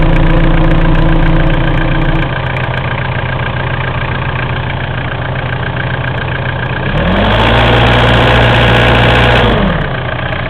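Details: Mitsubishi 4M40 diesel idling with a hard regular knock about three per second that quickens when revved and settles back; source not pinned down. Engine knock.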